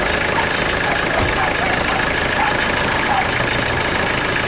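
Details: 1996 Mitsubishi Delica L400 with the 2.8L 4M40 diesel, first start after a head gasket replacement and an overnight battery charge. A steady, even diesel clatter at idle with no misses or knocks; it starts and idles healthy.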